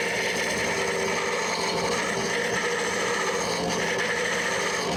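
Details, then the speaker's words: Wood lathe hollowing an ash hollow form with a straight tool and carbide insert, going down a little at a time; continuous even scraping hiss with no catches, chatter or jumps; smooth cutting. "you can hear this carbide insert. It's cutting pretty smoothly."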